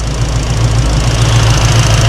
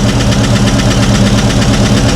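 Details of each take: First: V8 just fitted with Holley Sniper 2 EFI, initial start-up after fixing fuel leak, around 1,200 rpm with air-fuel ratio tightening: deep, even idle with steady low burble, no ticks or misses; normal idle. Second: Long-sitting V8 on its first start after a Holley Sniper 2 EFI install, throttle cable unhooked, fires on the second or third try. A fast, even light tick rides over the idle rumble; a noisy lifter is suspected.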